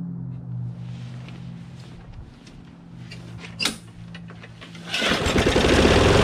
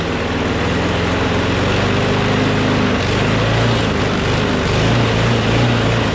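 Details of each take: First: Craftsman push mower with a Briggs & Stratton Quantum engine, started in about 23°F cold after carburetor cleaning and priming, races at a fast, steady, high-pitched buzz with very high rpm because the governor spring is overtensioned (tab pulled out too far). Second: Craftsman push mower with Briggs Quantum engine, after bail handle cable replacement, runs with a strong, even buzz at steady speed with no surging or misses; slight vibration, blade probably out of balance.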